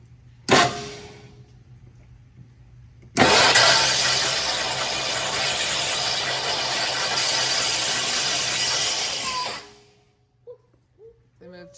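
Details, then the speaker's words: Abandoned 1969 Lincoln Continental, long-sitting, cranked in a first start attempt: harsh, loud grinding racket for about six seconds. The engine turns over and is not seized; the owner suspects a frozen alternator or the starter, but the source is unclear. "I don't know what's making the noise. I don't see anything. dragging. That's a good sign it turns over. Motor's not seized up. So, but I wonder if it's alternator."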